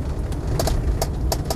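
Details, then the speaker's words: Land Rover Defender 90 50th Anniversary, driving with throttle lifted, universal joints reportedly recently replaced: steady low engine rumble with no backlash, clunks or knocks from transmission or driveline; normal drivetrain on overrun. "backing off the transmission drive train there's there's no backlash or clunking or anything from the transmission at all it's all exactly as it should be"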